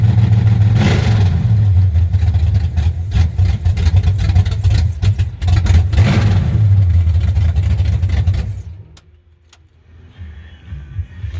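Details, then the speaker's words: 1963 Chevrolet Impala 468 big-block V8 with 632-lift cam, first start of the year, no exhaust fitted yet (Flowmasters planned): very loud deep choppy bark rising and falling with throttle blips from open headers; open exhaust. "get the exhaust put on it real soon so it won't be making all this noise."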